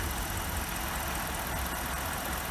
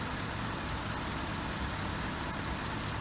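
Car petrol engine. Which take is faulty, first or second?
first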